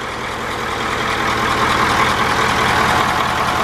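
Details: Bus with 9-liter diesel idling after valve adjustment; a rear exhaust valve had been too tight. Steady, even idle with only light clatter, no thump or uneven beat, running like a sewing machine. Normal diesel idle, healthy valvetrain.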